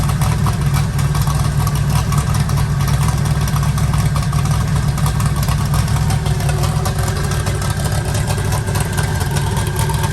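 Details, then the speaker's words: Eagle Talon rewired and converted from Pro EFI to Holley: a steady, even idle with a smooth low rumble and no stumbles or misses, firing on every cylinder. "sounds like it's hitting on all of them now"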